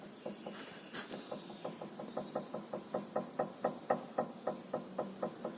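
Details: Worn stabilizer link (bieleta) on a 2012 Ford New Fiesta suspension, rocked by hand: sharp, hollow knocks about four a second from the loose link; links on both sides were knocking.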